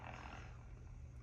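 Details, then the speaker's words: National HRO-500 receiver with a broken dial string affecting harmonic selection, tuned down a band: a low, uneven rumble with no steady tone. The sawtooth sweep oscillator is hunting for sync and not locking. "So I'm still not locking, but this is positive news. Now I wonder if I can go down in frequency here. So if I go down a band like that, you can hear it rumbling."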